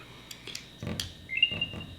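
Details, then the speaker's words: Apple AirTag after fitting a new CR2032 battery whose coating had to be scraped at the contacts: light plastic clicks as the cover seats, then a short bright rising chirp; powers up normally. "and you can hear that chirp and that's it you're all set"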